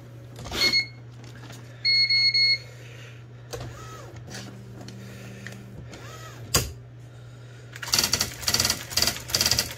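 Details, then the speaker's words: IBM Wheelwriter 6783-2 Korean typewriter after repair and internal cleaning, test typing. Crisp, even strikes in quick bursts with short whirring carriage moves; the sound is completely different now and it prints well. "이 소리가 다르죠, 완전히. 잘 찍히지."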